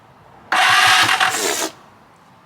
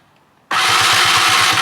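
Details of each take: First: Free stand-up jet ski in good condition, first crank attempt: two bursts of fast, even starter cranking that never fire. The spark check shows no spark, which the owner suspects is the problem; a new plug later gave only a weak spark. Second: Free stand-up jet ski after swapping the weak EverStart for a spare battery from an old JS300: starter spins the engine quickly and evenly, about seven strong compression pulses a second; healthy fast cranking, good spark.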